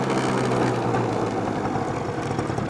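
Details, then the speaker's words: Honda Spree scooter after a $50 rebuild kit and brake repair, having reached 25 mph uphill: buzzy two-stroke drone holds an even note under wind and road noise, no misfire or knock; normal running engine. "Yeah, she's really running good."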